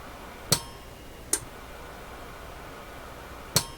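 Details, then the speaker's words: Heathkit SB104A transceiver switched to high-power transmit on the 80 meter band: three sharp, clean clicks over quiet room hiss as the transmit relay snaps in. Normal relay switching. "I'm going to go transmit high. I'm doing this on the 80 meter band. Transmit high, you'll hear the relay snap."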